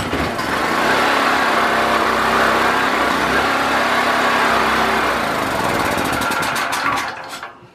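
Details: Predator 4000 generator with fuel issues (petcock had been gummed up), carburetor reattached, choke and fuel on, pull-started: it runs hard and steady longer than before, then sputters, slows and dies. Owner suspects the fuel pickup tube is not low enough.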